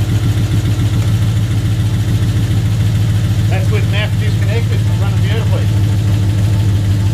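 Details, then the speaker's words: Ford AU II LTD 5.0L V8, rebuilt with Tickford GT40P heads and T3 cam, first start, stock tune, driver's bank very lean, MAF unplugged: loud, lumpy, uneven idle about three pulses a second; rough running, MAF suspected. "Fires fine and then stalls. So what I've done is I actually just, out of curiosity, disconnected the MAF."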